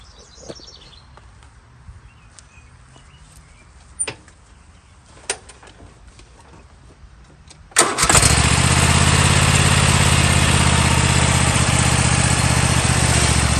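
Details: Toro TimeCutter riding mower that shut off when the handles were moved or the blades engaged, after cleaning the handle safety switches: quiet clicks, then the engine fires and runs steadily with no cutting out.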